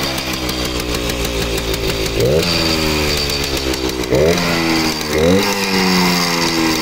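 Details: Kawasaki KV75 small single, first startup after sitting many years, repaired blown head gasket: steady idle buzz with three clean blips that rise and settle quickly; starts easily and runs normally.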